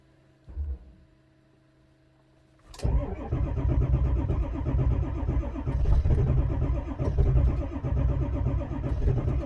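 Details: 2002 Ford F-350 Super Duty 7.3 diesel towed in, cold snowy day, check engine and glow plug lights on: starter cranks steadily at even pace but never fires; failed cam position sensor, electronic feedback signal not detected.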